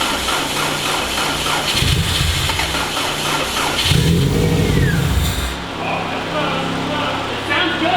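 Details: Freshly built Subaru EJ205 in a WRX, first start on 10W30 conventional break-in oil after priming oil pressure: cranks, catches and settles into a steady rumbling idle without knocks or rattles; clean first start, check engine light expected.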